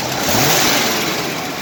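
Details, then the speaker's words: 1968 Jeep Wagoneer with a 1972 AMC 360 V8, started after sitting a year; the timing chain was earlier replaced after skipping a tooth. A short, smooth rev with an even exhaust note; it runs well, though a slight clicking is suspected to be an exhaust leak. "the engine runs really really good like look how smooth it is i have it tuned just about right i think"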